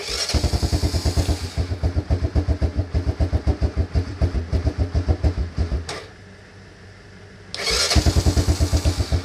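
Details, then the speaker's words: Honda Fourtrax 300 ATV after carburetor cleaning: fires and chugs unevenly for about six seconds, dies, then fires again, won't hold an idle; cause was a missing retaining clip on the choke cable. "start it still does the same thing let's find out the problem all right i'm back i finally got it see the reason i'm showing you all this just in case you have the same problem okay the last problem i'm fixed on this one is the chalk cable right here see this piece the gold piece of metal over there it was missing"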